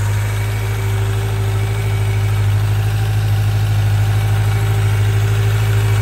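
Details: 1995 Suzuki GSX600F Katana four-cylinder, carburettors synchronised after valve adjustment, oil change, new spark plugs and rerouted carb vent pipes; steady even idle, smooth low hum, no misfire, hunting or ticking; normal idle.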